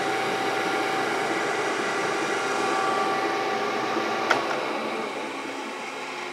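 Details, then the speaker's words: Brown & Sharpe 618 Micro Master surface grinder, hydraulic table on full travel, before adding oil: steady whirring hum with rough churning of the fluid, table pauses and jerks; pump aeration suspected from low hydraulic oil. "you'll see the herky-jerkiness of it, and you'll hear the noise of the hydraulic fluid in here. I can hear it churning."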